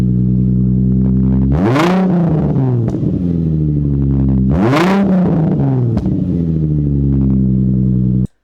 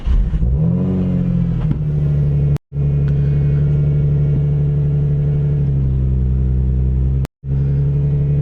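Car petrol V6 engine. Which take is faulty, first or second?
first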